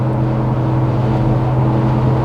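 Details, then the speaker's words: Toyota 4Runner on Goodyear Duratrac off-road tires at 25,000 km, recorded in the cabin at cruise: a steady low droning howl. The tires have got noisier as they wear, and the microphone makes it sound worse than in real life. "so what you're hearing right now you can definitely hear the tires howling"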